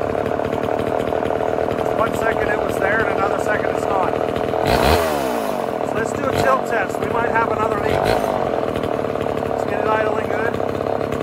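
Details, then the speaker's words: Vintage Homelite Super XL Automatic chainsaw two-stroke after partial reseal, fresh start, loading up rich: high buzzy idle hangs and won't settle when tilted; still an air leak, probably the seal not yet changed, but getting closer. "we still got an air leak probably the seal that i haven't changed so we're getting closer we still got an air leak but it's definitely getting closer you could hear it"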